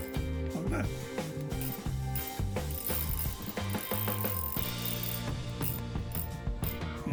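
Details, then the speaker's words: Fin-Nor Marquesa MA30 fishing reel, serviced and reassembled, winding: low, gritty ratchet clatter as the anti-reverse dog kicks in, taking up slack because the roller clutch is a little spongy and slips before gripping. "just hear that dog kicking in there because the AA roller clutch on this is a little bit spongy, but not too bad. But that dog is taking up the slack."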